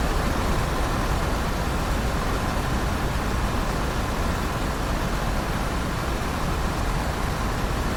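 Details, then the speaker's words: RV rooftop AC compressor that previously ran only a couple of seconds, after installing Onylraep soft start; steady even roar, no cycling or cutting out; compressor stays running normally. "Yeah, compressor's working. It's all good."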